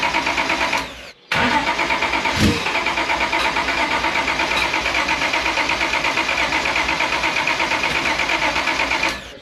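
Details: Engine with new homemade intake manifold, laptop tuning of timing underway: steady starter cranking about three beats a second, one sharp pop as it fires once, never catches; crank no-start from incorrect ECU settings.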